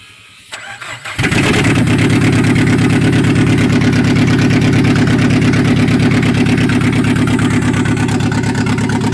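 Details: Peugeot 406 crank no-start after engine replacement, fixed by swapping the crank sensor and knock sensor connectors: brief crank, engine catches at once and settles into a firm, even idle.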